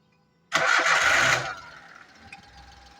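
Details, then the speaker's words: Three-cylinder car that had misfire, no stable idle, lost pickup and heavy vibration; after fitting a new coupler it cranks, catches quickly and settles into an even, steady idle, slight shake normal for three cylinders. "यह देखो एकदम proper और एकदम stable हो गई गाड़ी यह हिल रही है उतनी तो हिलती है क्योंकि तीन सिलेंडर गाड़ी है"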